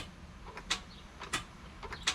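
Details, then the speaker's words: Jeep Wrangler JK with a Hemi swap: sharp starter clicks about every two-thirds of a second, no cranking. The battery is fine, so the owner thinks the starter has most likely failed (not confirmed). "So, hopped in here to start it up, and it is not starting. Get a click from the starter, and what that usually means is either your battery's too low or your starter's failed."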